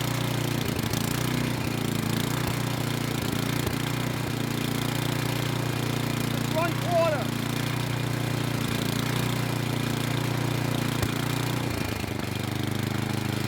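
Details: Craftsman snow blower with a Tecumseh engine on a cold start, warming on midway choke: a low steady putter with small irregular catches, running slightly rough but not stalling.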